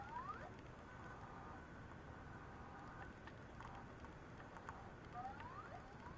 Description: Apple Macintosh PowerBook 520c making weird noises. I think the hard disk is toast.